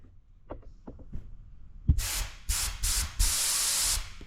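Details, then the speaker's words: 1969 Pontiac Bonneville Safari wagon with a 428, parked since 1981, new fuel lines: air bursts blown from the tank forward to the fuel pump hiss through freely with no choking, and are heard up front; the supply line is clear. "Oh yeah, I can hear it up front. We are free and clear."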